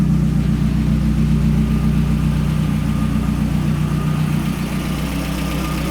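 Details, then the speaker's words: Mazdaspeed 3 after cylinder head rebuild with Kelford aftermarket camshafts and stiffer valve springs, at idle: even idle with busy, fast top-end ticking, normal louder valvetrain noise from the stronger springs, harmless. "these aftermarket springs, they make a lot of racket. The stronger, stiffer springs are a little bit louder, and that's something that I've done a little bit of homework on, and it's pretty common."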